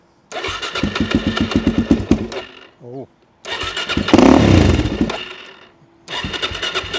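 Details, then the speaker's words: 2006 Suzuki DR-Z400SM single after full strip and carburettor swap (52 pilot, 155 main jets), possibly warm enough to need no choke: catches fast, idles slightly low with steady thump, revs and settles cleanly; running sweetly. "Ah, listen to that. That is running absolutely sweet."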